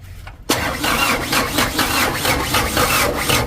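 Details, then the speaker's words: Diesel engine after fitting a 100 PS Ragasa plunger in the injection pump and refitting injector lines: starter cranks at about four beats a second with no firing while air is bled from the pump; cranking without starting due to air in injection pump. "ini mau kita anginan dulu ayo mas di starternya Mas kita starter Bang angin"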